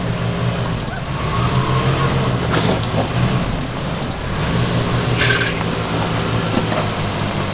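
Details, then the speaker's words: 1968 Chevy/GMC K20 2500 3/4-ton truck, sat over a decade; low, uneven idle drone that wavers and stumbles, smoking and smelling of burning oil, later noted rod knock and valve tick. Rough running, cause not confirmed. "all right let's see if this thing will move under its own power it doesn't sound healthy it definitely smells like it's burning a lot of oil"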